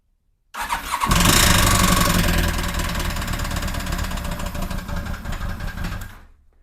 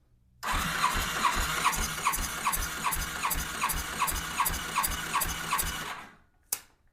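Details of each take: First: 2007 Yamaha FJR1300 after a breakdown: rough start-up recorded near the engine, with an uneven knock about four per second that sounds like a possible rod knock. Cylinder 2 is suspected, having held synchronization poorly. Compression check pending. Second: 2007 Yamaha FJR1300 that lost a cylinder on a ride, compression test on cylinder 4 with throttle wide open: even strong cranking about two and a half beats a second; cylinder 3 about 215 psi, cylinder 4 about 219, healthy; cylinder 2 suspected dead.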